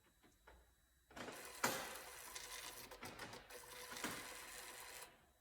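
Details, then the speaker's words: 2002 Rover 75/MG ZT with a suspected damaged engine, cranked with spark plugs out and fuel pump fuse removed; steady even whirring on the starter for about four seconds, no knocks or scraping, so cranking sounds normal. "H at least I couldn't sense anything out of the ordinary"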